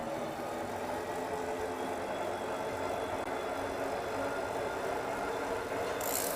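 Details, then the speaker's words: Fat-tire e-bike ridden through a tunnel with assist on: thin steady higher-pitched whine over tire hiss on pavement, normal motor sound. "There you go. The like higher pitched whining noise is the motor."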